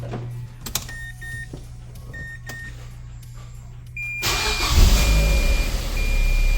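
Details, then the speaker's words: 2006 Mazda MX-5 Miata (NC), 186k miles, after replacing the power steering pump: a few chimes, then the engine fires into a smooth, even idle with no pump whine, much quieter than before; normal power steering pump. "it's so much quieter. Oh my God, it's awesome. I don't immediately see any leaks. I will top this off in a second, but the pump works."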